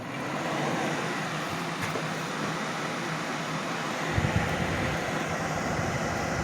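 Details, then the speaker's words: Homemade window bathroom exhaust fan built from a torn-down portable fan-forced heater, first test run: steady, even rush of air over low hum with no rattle, scrape or wobble; running smoothly. "where not too bad i think that's going to work out nicely"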